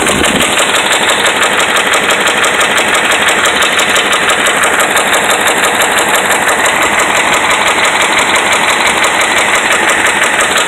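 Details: Dodge Ram 5.7 Hemi held just off idle: a hard, regular metallic knocking rides over the engine from bad connecting rod and crankshaft main bearings.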